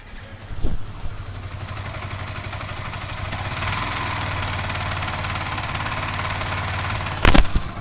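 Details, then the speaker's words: Second-hand Yamaha R15 V3 motorcycle with previously rebuilt engine, sound problem persisting and rpm repeatedly dropping: rough uneven idle with a harsh rattling buzz over the beat; very ugly abnormal engine noise, cause not yet found. "এটা হলো এই গাড়িটার sound ছিল, মানে একদম বিচ্ছিরি রকমের জানা তাই একটা আওয়াজ।"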